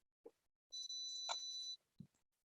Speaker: See, you hear that beep? Yeah. That means my lead acid batteries are, that's the inverter beeping that it's 11 volts.